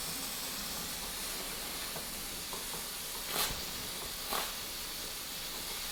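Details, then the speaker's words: Mamod SE1 static steam engine on test steaming with a meths burner: steady high hiss with a couple of sharper bursts as the safety valve lifts; quite a leak, with steam weeping from the cylinder. "so the safety gloves lifted there's quite a leak"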